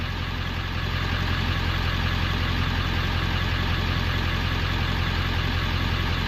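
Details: 1994-97 OBS Ford 7.3L Powerstroke after electric fuel pump conversion, fuel pressure stuck near 45 psi, regulator to be adjusted: steady diesel idle with a regular low chug of about 160 beats a minute, no knocks or misses; runs healthy.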